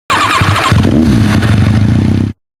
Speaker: Si tu moto empezó a hacer un ruido diferente en el motor, no conviene ignorarlo. El ruido puede deberse a diferentes causas [música] como un nivel bajo de aceite, piezas con desgaste o una cadena de distribución que requiere inspección.